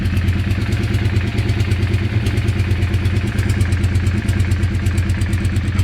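Steady idle with a rhythmic clatter about three times a second riding on the low rumble; something is knocking, cause unclear.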